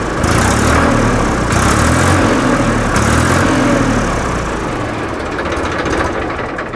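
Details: 2013 Massey Ferguson 1035 DI tractor diesel idling after fitting a new-model thick silencer: even deep thumping at steady idle with no puffing or exhaust rattle, replacing the old loud, incorrect exhaust note; normal idle.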